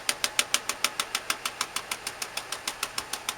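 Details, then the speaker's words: 2001 Ford E250 van, V8 Triton engine, idling: sharp regular exhaust pops about three a second from a misfiring cylinder; scanner wouldn't connect; repair is spark plugs and coil packs. "First thing you want to do is check the exhaust. It has that popping noise."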